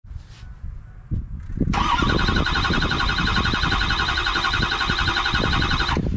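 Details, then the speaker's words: Ford 6.0 Powerstroke diesel that has repeatedly quit and left the truck stranded: starter spins with a high whine and even compression pulses for several seconds, but the engine never fires; crank, no start, cause not yet found. "guys if you've ever owned the 60 power stroker any power stroke in that you know the struggle of that sound and it is not a very very fun thing to be experiencing"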